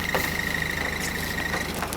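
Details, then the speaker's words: Modified 2005 Toyota Echo, manual, at idle: thin high whine that cuts out when the clutch is pressed or tapped and gets louder when driving; first mistaken for a poorly mounted exhaust, it is the throwout bearing, still needing repair. "yeah you hear that that's the throw out bearing i thought it was the exhaust because it wasn't mounted properly"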